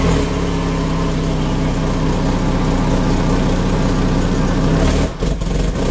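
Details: Citroën engine whose camshafts don't match the ECU; loud, uneven drone with a lumpy pulse and a heavy roar at the exhaust manifold; live data normal, catalyst checked for blockage; rough running.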